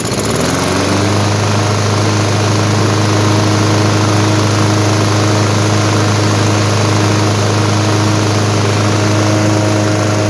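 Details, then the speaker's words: Craftsman mower, 163cc Briggs & Stratton, that died when hot: strong, even single-cylinder drone at steady speed, no surging; ran about 12 minutes with no leak or shutoff; normal running. "after letting the lawnmower run for about 12 minutes there are no there is no sign of leak um looks good and the mower did not shut off as well"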